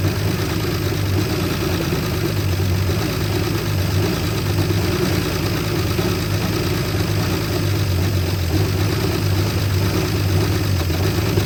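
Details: 1973 Jeep J2000 4WD, inline six, 3-speed: uneven lumpy low idle, no revving, barely keeping running on fuel poured in to prime; fuel starvation, later traced to the tank's fuel line fitted on the vent.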